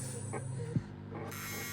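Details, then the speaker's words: Sony MZ-R30 MiniDisc Walkman: short soft buzzing whirs in bursts as tracks are selected, the optical pickup tracking up and down; normal seek noise. "let's pick a Ah that's the just the tracking OB going up and down that noise itself"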